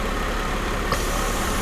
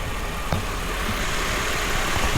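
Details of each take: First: 1995 Mercedes SL280 with erratic warm idle and hot-start problems, oxygen sensor reading rich: steady idle, soft pop then faint hiss as a manifold vacuum pipe is disconnected to induce an air leak, and idle starts to hunt. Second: 1995 Mercedes SL280, warm, after fitting a new fuel valve on the fuel rail that had leaked fuel into the intake and made it run rich, hunt at idle and hot-start poorly: steady, even low idle hum, no stumble or hunting.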